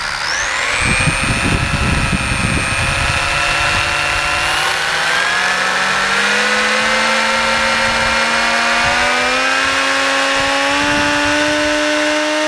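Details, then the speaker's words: Team Associated Apex RC touring car on bearing-benchmark pulls: a rising electric whine under a rough buzzing shake, with surprisingly high drag; driveline vibration, known on these cars, suspected as the cause. "that's pretty disturbing that there's that much loss now one thing that could be going on here is this car the team associated cars have this reputation of having a pretty bad driveline vibration"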